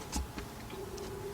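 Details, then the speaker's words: 2009 Honda Accord 2.4, no-start, battery dropping to 11.6 V with the key held in start: a single light click of the starter solenoid with no cranking, just a faint hum. The starter needs replacing. "And we hear the starter. Well, we not the starter engage. We hear the starter solenoid engage,"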